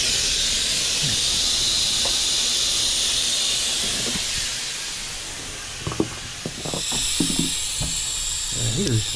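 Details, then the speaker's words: Goodman heat pump condenser under repair for a piston restriction, nitrogen flowing through the lines during brazing: loud steady hiss tapering after about four seconds, then handling clunks. Normal nitrogen purge. "looks like I got that hot anyway even though I had that here too you see that that's just nitrogen coming out"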